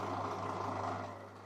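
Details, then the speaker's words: Bosch washing machine (may stop with water in drum or show E18) on a 1000 rpm max spin; loud drain-pump hum with rough rattly whirr; pump likely needs replacing, filter not yet checked, debris possibly rubbing impeller blades; suspected worn drain pump. "No i pierwsze co słychać, no to pompa i prawdopodobnie ta pompa będzie do wymiany. Bo tu już dosyć mocno hałasuje, chociaż jeszcze tam nie zaglądałem do tego filtra."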